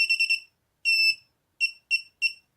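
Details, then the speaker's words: Mobula7 FlySky-version quadcopter, powered by battery and USB, switch in middle position: high clean electronic beeps, its normal ready-to-arm signal. "that's definitely the mobs r7 saying to us yeah we're ready for action so that's all good"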